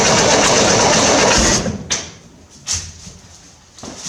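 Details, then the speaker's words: 1968 Corvair after installing a mechanical fuel pump, with a little more gas primed: catches and runs briefly, then cuts out with a few weak coughs once the fuel is used up; fuel starvation, a leaking fuel line found. "Sounds like it's trying, even after that fuel is expended."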